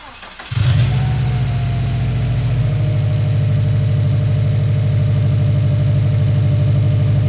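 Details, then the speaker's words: Rebuilt Subaru STI at first start, after topping up the power steering fluid following a scream suspected to be the power steering pump: catches quickly and settles into a steady, even idle with no pump whine. "Okay, sounds much better now. That scared me for a second,"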